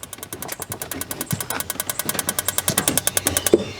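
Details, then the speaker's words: Suburban water heater in a travel trailer unused for a couple of years: rapid igniter ticking, about eight clicks a second for 3.5 seconds, then stops; the gas valve seems to open but the burner doesn't light and no gas is smelled. "so the water heater is trying to ignite the gas valve sounds like it's trying to open i don't smell any gas"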